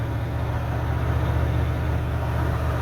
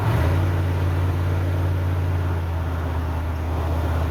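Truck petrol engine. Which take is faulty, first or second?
second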